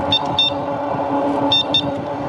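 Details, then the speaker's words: GDSEBIKES (Polarna) G205 folding fat-tire electric bike horn; two pairs of short thin high-pitched toots over traffic noise, like a squeaky toy hit with a mallet, not very loud; electric horn works normally. "um i'm not really sure what to compare that sound to um sort of sounds like somebody's hitting a squeaky toy with like a large bat or a mallet or something like that so not super loud"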